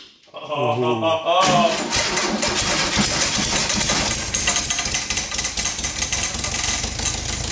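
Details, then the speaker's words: 1972 VW-based Arizona trike, long parked, choked, fuel poured into carb: after a few cranking turns engine catches and runs loud and ragged; ignition now firing. "yeah fire fire yes she lives I think we need a little more fuel down her throat"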